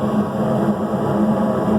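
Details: York gas pack furnace whose igniter assembly was condemned by another tech, rechecked: ignition sparks, gas lights, burner gives an even, steady rushing roar with no popping; igniter not the problem.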